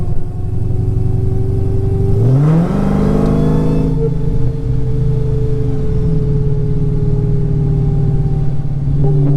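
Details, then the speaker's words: Dodge Challenger SRT Hellcat, rebuilt MMX engine with ported supercharger, first drive after rebuild: steady whine rising in pitch pulling away then holding under load; rear differential gear noise, not supercharger, differential to be rebuilt. "you guys hear that so nasty sounding that is not supercharger I promise"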